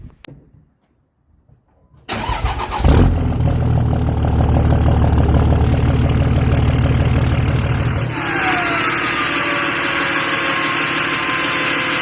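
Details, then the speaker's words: 5.9 diesel VGT swap: cranks, fires and settles to a steady idle with a soft falling turbo whistle; exhaust squeal gone. "Alright, I know you guys couldn't hear it, but there is no more squealing up here."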